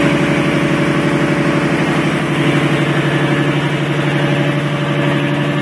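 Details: Nissan S13 with RB26DETT engine at idle, quick fairly even pulsing of about four beats a second over engine note; abnormal noise, source unclear.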